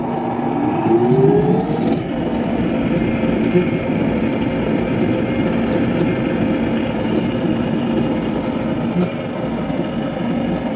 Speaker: That sound means it's grinding the soybeans.